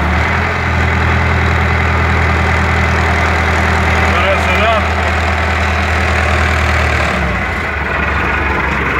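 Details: MTZ-80 tractor diesel warm at idle: uneven rumbling knock over the beat from intermediate support bearing, gone with slight throttle; silent with cold oil; ball bearings replaced, PTO shaft roller bearings not, nigrol oil flushed out.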